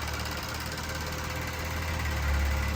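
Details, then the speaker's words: VW CC direct-injection engine after rebuild, first run, WD40 burning off, no oil pressure reading yet; steady even idle with light injector clicking, not the timing chain rattle heard before the rebuild; normal. "oh she sounds so nice"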